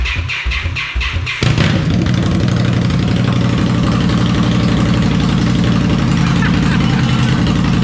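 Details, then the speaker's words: Indian Scout (about 1200cc V-twin) with the stock mufflers removed, running straight pipes mid-install: cranks, then fires into a very loud, raw, uneven idle with a harsh bark; far louder than stock, showing how much the mufflers quiet it. "Damn, my ears. Leave that. Oh my God. Sounds so different. Those mufflers do a hell of a job."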